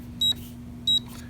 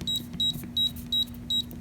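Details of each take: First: AMSEC ESL10 electronic deadbolt safe lock, woken with C and then the correct six-digit code: two short high beeps about two-thirds of a second apart, then faint clicks as the lock opens. Correct code accepted. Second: AMSEC ESL10 safe electronic keypad lock: single key-press chirps, then three quick beeps rejecting the old combination after it was changed.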